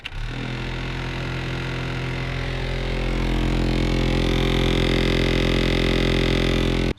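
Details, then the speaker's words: Toyota Camry AC blower motor, under the passenger side: steady fan roar with fast, even ticking, about three per second, rising with fan speed. The owner thinks something is caught in the blower wheel. "So what's going on here is I think there's something caught in the blower wheel, which is down there."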